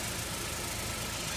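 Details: Saturn L200 idling, warming up, after fuel pump and fuel filter replacement: steady even idle, smooth low hum, no knocks, misses or hiss; fuel leak appears fixed; normal idle.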